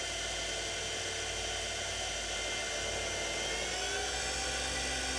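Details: TurnCrafter Commander 12 lathe after control board MOSFET repair, not bolted down, roughly 3800 rpm at potentiometer near max: steady even high whine, slight vibration, no knocks or surging; normal high-speed running.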